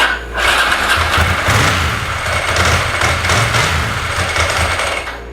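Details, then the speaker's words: Ducati ST4 after in-tank fuel line repair (line replaced, safety-wired) following sudden power loss on the freeway: key cycled to prime the pump, brief crank, catches at once, steady even twin idle with no stumbles or leaks; normal start and idle. "Luciana is happy again and of course it's always a good idea to take a good look for leaks anywhere and you put something back together that has to do with fuel I don't see any drips I don't see anything going on"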